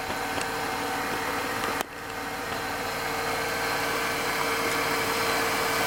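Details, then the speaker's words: Mercedes-Benz W124 E320 (M104) after engine oil, automatic transmission fluid, oil filter and air filter change, and belt dressing applied: even, smooth warm idle with no belt squeal or uneven beat; engine sounds healthy. "Hai suara mesin menjadi halus"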